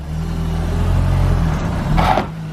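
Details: Turbo engine after exhaust and boost leaks were fixed: note rises and falls smoothly through a throttle blip, with no hiss or whoosh of escaping boost; now free of leaks.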